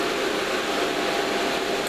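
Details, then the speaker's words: Two fans newly mounted in a PA amplifier airbox: a steady rushing airflow with a constant mid hum and no rubbing, ticking or wobble; still reasonably noisy but a good bit quieter than before. "alright still reasonably noisy its I think that's that's a good bit quieter than it was"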